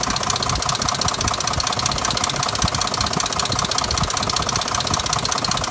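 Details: 2005 Dodge Durango: fast, even knocking about two to three per second over the idle, source unknown; throwing codes P0343 and P0172 after cam sensor, O2 sensor, transmission and exhaust manifold were replaced.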